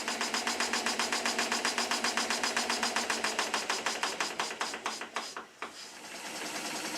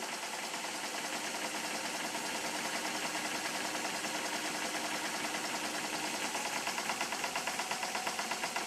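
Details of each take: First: Stuart S50 slide-valve model engine run on compressed air before shortening the over-long slide valve: sharp, even knock about four times a second on every stroke, fading as it slows, from late slide valve timing. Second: Stuart S50 model steam engine on compressed air after shortening the slide valve (valve now opens both ports at midpoint); quick, even chuffing, steady beat, no knocks, runs much smoother than before at same speed, admission at or just after top dead center; normal running.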